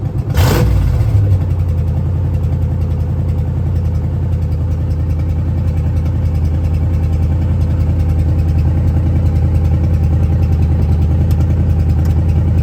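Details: 1970 Ford Falcon with a budget-rebuilt 5.0 and AOD, at its first start on a weakly charged battery: the engine catches, then settles into a steady, even idle. There is a deep burble from the open shorty headers, and cold oil pressure is about 70–80. No knocks or ticks; it sounds healthy.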